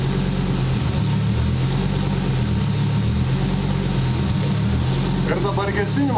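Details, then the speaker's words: Homemade Ariel Atom replica just after fuel tank rebuild to cure fuel starvation in hard left turns: low, even idle with slight slow rise and fall from idle-valve hunting; may need adjustment, engine runs fine. "Seems everything is alright while idling engine tends to pulse a bit because of idle valve control, so some adjustments needed there maybe but in general it seems alright"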